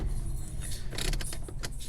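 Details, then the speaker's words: 1998 Camaro, blue fuse-box pin removed and ignition cycled on and off three times: the door locks clunk, locking and unlocking on their own, confirming key fob programming mode. "the door is locked and unlocked."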